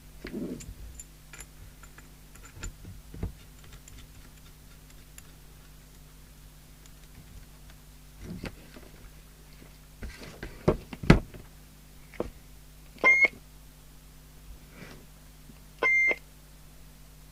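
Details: Interceptor TC300 CB27/81 UK FM CB radio on the bench in 4-watt mode, no internal speaker, using a test-equipment extension speaker: a quiet hum, a few clicks, then two short high double beeps from the radio, an alarm of some kind, cause unclear.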